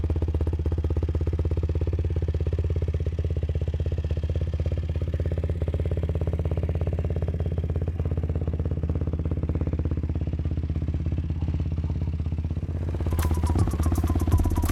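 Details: YFZ WR450 478 hybrid single-cylinder after repairs: even, quick putter holding steady idle with no knocks or misses; sounds healthy.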